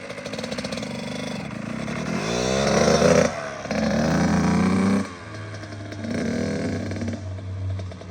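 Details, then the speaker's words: Kawasaki KX85 two-stroke after water pump and case seals and gaskets replaced to fix a leak, started first kick, warming up: crackles at idle with clean throttle blips rising and settling; healthy. "Beautiful. First kick. Nice. Gotta let it warm up for a second and then we can give it a shot."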